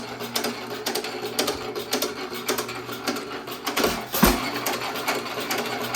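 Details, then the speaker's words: 1917 Economy hit-and-miss engine after piston/rod swap, mixture leaned until virtually no smoke: crisp even firing about two per second with coasting gaps, runs better; normal hit-and-miss running. "Are you satisfied? Yes, it runs better."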